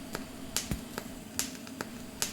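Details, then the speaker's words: TIG welder on a homemade automated linear welding carriage, pulsed, joining two stainless pieces with the motor slowed by a voltage regulator: crisp ticks about every 0.4 seconds over a faint steady hum; pulsed arc welding evenly and normally. "Okay. So we're welding now and we're pulsing. It'll look far better than yesterday, hopefully."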